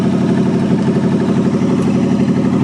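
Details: 1963 Allis-Chalmers loader with 1978 Monte Carlo 305 V8, first run after 5.5 years: steady even low rumble, no knocks or misses, cold but healthy idle under light pump load; normal cold idle.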